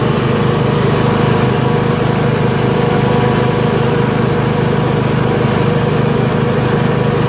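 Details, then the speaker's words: Yard Machines MTD lawn tractor, 20hp Briggs single-cylinder OHV, CVT transmission, driven around the block after magneto bypass, oil change and deck repair; even, steady drone with no misses or surging, runs smooth with good acceleration: normal running under load. "very good tractor even though it's a pain in the ass to work on runs nice to feel the horsepower smooth"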